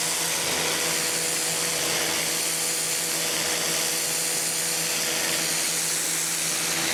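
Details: Campbell-Hausfeld PW1835 1800 PSI electric pressure washer, universal motor, new: constant high-pitched motor whine with spray hiss, steady without surging or stumbling; running normally, owner feels pressure more like 1300 PSI.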